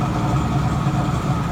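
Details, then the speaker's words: 1967 Mustang with new Pertronix electronic ignition, cold start at about 57°F after sitting a week: steady, even idle with a smooth deep burble and no misses or ticks; runs cleanly and normally. "yeah that's what it sounds like I mean I might put a different exhaust on it but runs good for not being running a week"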